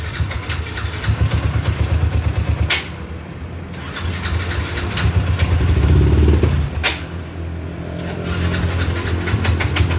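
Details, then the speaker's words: Yamaha NMAX scooter that came in not starting with a suspected dead fuel pump; the electrical system was traced and the pump found fine. It now starts and runs with a steady low putter, briefly revving before settling to idle. "เราก็ไล่ระบบไปเรียบร้อยนะครับปั๊มติ๊กไม่เสียนะครับสตาร์ทได้นะครับ"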